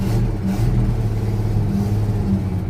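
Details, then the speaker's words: 1964 Holden EH ute, first drive in years, crawling into the shed with weak brakes and a working clutch: steady smooth low rumble, even throttle note, no knocks or misses. Normal engine running while driving. "A beast sounds fantastic. It's actually surprisingly uh running quite well considering we don't know when the last time it was started"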